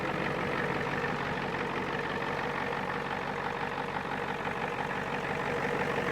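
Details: 1989 Ford F250 7.3 IDI diesel running after a battery replacement: steady, even diesel clatter at idle with no misses or knocks; engine runs smoothly and sounds healthy.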